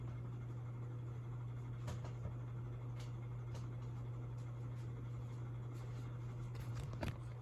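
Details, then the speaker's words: 36-inch brown CEC Georgian ceiling fan of unknown age, on high speed, shaking slightly: steady low drone with occasional light clicks from worn bearings; ceiling fan bearing noise. "If you listen closely, you could probably hear that sound the bearings are making. I'm going to go ahead and put it on high speed now. Not sure if you can hear that bearing noise."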